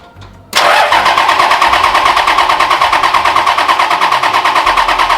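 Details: Freshly built Toyota 1HD-T diesel in an 80 Series, cranked with the shutoff solenoid disconnected to prime oil pressure: even starter cranking at about three compression beats a second, no firing; normal turnover, oil level dropping shows oil pumping.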